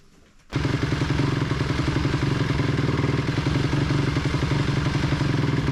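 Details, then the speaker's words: 2004 Honda CRF250R that was hard to start: catches and runs with choppy uneven popping about four a second, no clean idle; owner suspects lean running, carburetor to be removed and cleaned. "stupid sounds like it's running lean I think I think we're going to have to pull this carburetor off and go through it"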